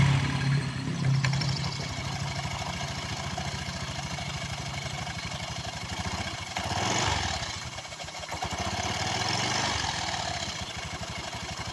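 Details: Newly bought Honda Vario scooter at idle: uneven rough mechanical churning from the CVT, rear wheel won't stay still; clutch (kampas ganda) dragging instead of spinning free.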